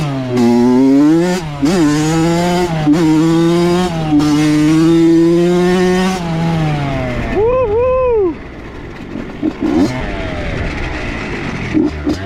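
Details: Honda CR80 two-stroke with Keihin PWK 28 carb, after replacing the spark plug: crisp, clean revs climb and drop smoothly with the throttle, no stumbling or bogging. Healthy, though possibly lean.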